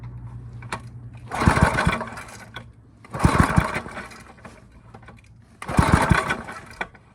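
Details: Briggs & Stratton I/C 5hp with a pulsa-jet carburetor, lightly cleaned and reassembled, spark and kill switch confirmed. Three pull-start bursts of rapid chuffing, each dying without the engine catching; cranks but won't start. Fuel is suspected, not confirmed.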